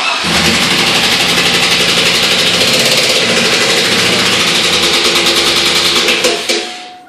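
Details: 2002 Chevy Silverado 5.3L V8 started and revved: hard, regular knocking about four times a second through the roar. Owner ruled out a lifter and suspects a broken rod or wrist pin, so a salvage engine swap is planned.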